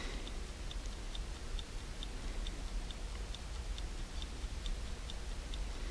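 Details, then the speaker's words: 1969-71 Lincoln Continental Mark III dash clock on the bench after service, lube cleaned off the points, fused supply: crisp, even ticks about two and a half per second; running nicely. "Like I lubed it, and I got to make sure I've cleaned all the lube off, because if there's any lube in there, it won't fire. It's ticking away nicely."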